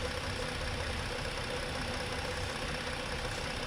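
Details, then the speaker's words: 2015 Ford Explorer 3.5 V6 after the number three coil pack was replaced: rough idle with uneven low thumps, one cylinder dropping out; misfire on number three persists, injector to be checked next. "on number three you hear that you're still missing on number three i was not expecting that so that's the problem"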